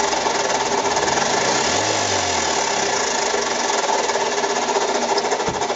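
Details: Mazda 6 engine at idle with steady rapid mechanical knocking and rattling that started that morning; oil level fine, cause not yet pinned down.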